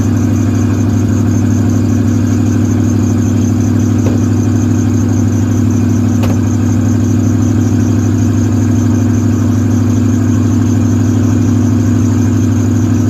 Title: Fixed the exhaust leak